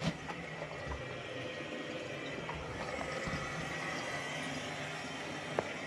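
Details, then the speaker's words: Household plumbing, mains on: pressure relief valve passing into drain for about 6 months, leak losing about 324 litres an hour, tundish mounted too high to show flow. Faint, constant trickling hiss with no pauses; relief valve letting by. "So, this is with the mains on. This has been running for around 6 months. The customer hasn't picked up on it. I don't know how, why, but you could certainly hear that running."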